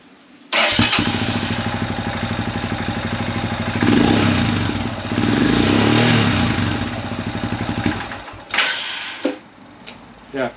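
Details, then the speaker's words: Royal Enfield Himalayan 411 single cylinder warm engine catches and runs unevenly a few seconds, then stumbles and dies with sputters; hard starting when warm, eventually won't start at all; slight ticking also noted. Already tried new plug, valve adjustment, relays, battery, evap delete, FuelX removed. "there we go, that's what happens. Eventually, if it gets warm enough, it won't start at all."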